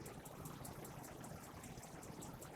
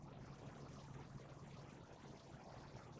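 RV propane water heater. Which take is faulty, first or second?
first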